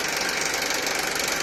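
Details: Honda Accord K24 engine at idle: steady tinny rattle on top of a smooth idle with no clear rhythm change; rattle source still unknown.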